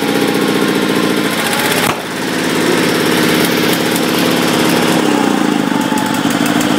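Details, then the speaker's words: 1974 Sears Suburban SS16 twin-cylinder tractor, just washed and still wet, warming up: rough running, owner thinks it is on one cylinder, then a sharp bang near two seconds. Exhaust backfire. Owner says it isn't drawing fuel properly and suspects one of the fuel filters. "little bit of a good backf there so I stayed running"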